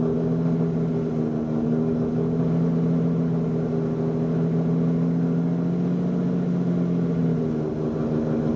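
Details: Lamborghini Diablo VT V12, a garage find, just after it kicked right over on the button: a deep, smooth rumble holding a steady beat with slight rises in revs, no misses or knocks; runs healthy.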